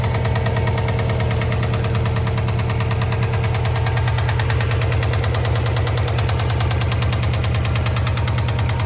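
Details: Engine knock on a 2003 Subaru Impreza WRX NB (TA-GDA, EJ205, 5MT, 153,519 km) at idle: steady rapid deep bottom-end knocking over a low drone; appeared after turbo overhaul and A/C compressor noise, #3 bearing suspected, unconfirmed.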